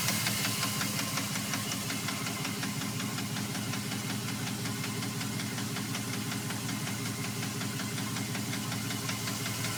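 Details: 2002 Dodge Ram 4.7 makes a loud, sharp, regular knock at idle, about three per second; three mechanics say it needs a new motor, owner unsure.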